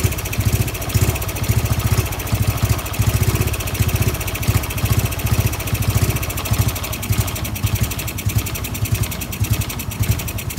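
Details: Honda Wave 110i with stock engine parts after ECU reflashed to factory standard map: steady, even low putter at idle, regular firing pulses, no knocks or misses; normal idle after fix.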